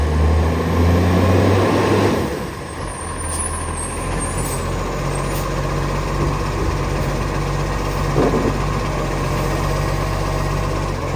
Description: As you may be able to speculate this truck has an exhaust leak which sounds nice paired with the skilled and fast operator at hand